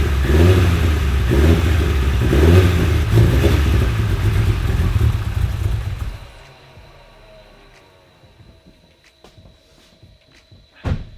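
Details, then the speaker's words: Fully built 2008-2015 Mitsubishi Evo X (pistons, rods, GSC cams), first start after fixing fuel lines blowing off and new fuel rail: lumpy uneven running for about six seconds then dies; rough running, owner suspects it needs a tune, no internal noises. "as you guys just heard it still runs really really rough I don't think it's it's obviously nothing like internal motor wise it's not making any weird noises or anything it's just running really rough like it needs a tune super bad"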